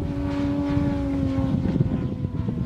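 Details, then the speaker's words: Yamaha TW200 carb test under load: steady mid-throttle drone, then ragged and uneven as it climbs, power dropping out in bursts. Engine stumbling under load. "Pulling throttle back. Same issue."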